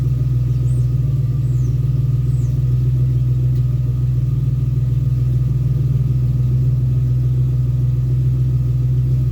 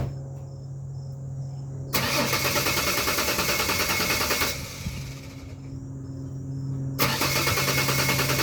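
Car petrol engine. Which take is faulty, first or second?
second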